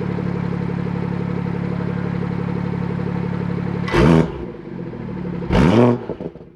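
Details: BMW F30 340i after fixing the exhaust valve rattle by fitting a new clip: steady, even idle with no rattle, then two clean throttle blips that rise and fall smoothly; exhaust sounds healthy.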